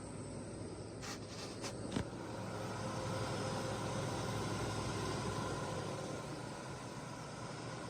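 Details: 1985 Ford F-150 4x4 XL, 4.9 L inline six, after sitting a couple of months, smog pump disconnected: a few clicks, then steady low idle that swells slightly and settles; running evenly without knock.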